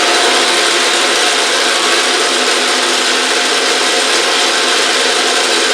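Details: Autobox 8x16 mini lathe, new, spindle spinning up as speed is cranked from about 3 RPM: steady even high hiss and whir, no knocks, rattles or grinding; running normally.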